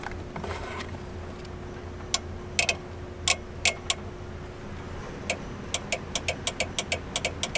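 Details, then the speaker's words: Eight-turbo V8 Mustang, Nitrous Express install: sharp dry relay clicks over a low engine hum but no heavier solenoid clack follows; the solenoids aren't clicking or felt, no power reaching them. "hold this i just want to feel if they're clocking because i can hear the relay but i can't hear the solenoids i do not feel the solenoids"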